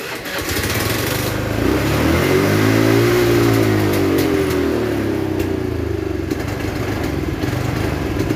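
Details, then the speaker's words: Honda Vario CBS carburetor scooter, cold engine: catches and revs unevenly, surging and sagging then dying on its own; cold-start stumbling attributed to incorrect carburetor setting. "nah iki no loh mati DW lonjak-lonjak kemudian mati sendiri ya itu dari karburator"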